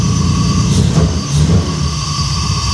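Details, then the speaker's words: BMW E34, 300k+ miles, solid compression, after removing moisture from the distributor cap: loud low rumble running unevenly with surges and dips; rough running misfire, improved but unresolved. "running better, but >> At least we got her running so we can move her around."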